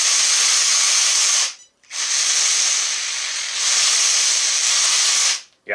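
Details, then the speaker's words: Relic RC car (RC Athletes) bench sound test, drivetrain spinning freely with nothing touching: a high, gritty whir in bursts, rough rather than smooth, before a partial rebuild. "just this sounds unhealthy so let me tear her into this guy and uh we're gonna get her smooth again"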